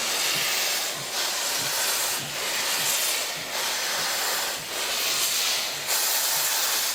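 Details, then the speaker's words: Preserved South African steam locomotive pulling off at Capital Park, Pretoria, cylinder drain cocks open: loud hissing steam with slow even chuffs about once a second as condensate water is blown out, normal. "those little valves those little water underneath the cylinder which allow condensated water to escape when we pull off you will see a lot of steam being blown out there with water don't worry about that's perfectly normal"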